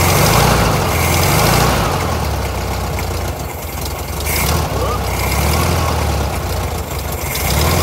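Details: VW Thing air-cooled flat-four on a new, unadjusted carburettor: chuffing along steadily with a gentle rise and fall as the choke opens, running healthy enough, though the idle circuit isn't behaving correctly as the choke opens.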